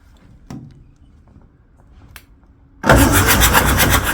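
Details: Perkins 4236 diesel in a narrowboat that sank, being turned over on the starter with injectors out, no keys; brisk, even, rapid churn while diesel pours out. Normal cranking.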